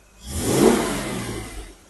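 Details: Jaguar E-Type 4.2 Series 2 with three HD8 SU carbs, after health check and tune: a quick blip swells smoothly from a gentle purring idle and falls away without stumble or pop; crisp, clean throttle response.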